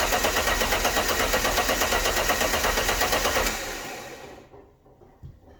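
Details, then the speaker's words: Alfa Romeo GTV V6 after fitting a used fuel pump, cranked with engine harness disconnected to circulate oil: fast, even, regular compression beats for about three seconds; normal cranking. "it all sounded okay when cranking so let's connect this back up again"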